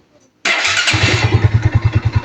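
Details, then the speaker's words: Kawasaki NS150 motorcycle started right after an engine overhaul (block, rings, cylinder head refitted): starter whirrs, then the engine catches and settles into a steady, even low thump with no knocks or rattles. A healthy start and idle. "Uy! Ganda ng andar, oh. Kick natin, kick."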